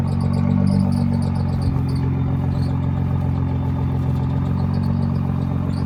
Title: GTR Squeaking Noise